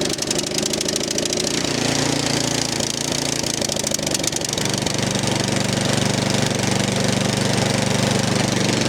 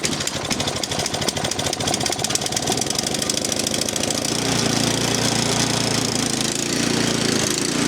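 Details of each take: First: 13-year-old MTD snow blower, Powermore 208cc, started on full choke with two primes after the fuel line was refitted: rough, clattery firing at first, then it settles into a steady, even beat while warming up, with no hunting at all. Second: 13-year-old MTD Yard Machine snow blower, Powermore 208cc engine, carburetor replaced last year, leaking oil and fuel; cold start on full choke, about half throttle: rough uneven popping, speed wandering up and down, steaming and smelly exhaust; engine hunting, cause unknown.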